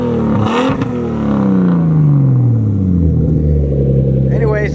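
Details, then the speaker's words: Freshly built RB25DET in an S13 240SX, still being broken in, during a street tune (3076 turbo, 1000cc injectors, LS coil packs): revs climb cleanly and settle back with a smooth, even note, no knocks or misses; normal revving. "that shit sounds mean as fuck. Y'all probably can't hear me because it's loud, but that sounds good."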